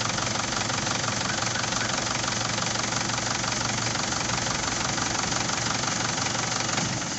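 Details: Isuzu D-Max 4JH1-TC diesel, VP44 pump tagged: steady idle clatter with a slightly uneven beat, then the engine sags and dies near the end; unstable idle and stalling, cause not confirmed.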